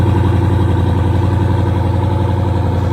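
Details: 2014 Jeep Grand Cherokee 6.4L 392 Hemi SRT Scat Pack with a customer-supplied engine reported at 50,000 miles, check engine light on and no tune loaded; V8 idle with a regular knock underneath at about 220 per minute. Bottom-end noise, cause unconfirmed.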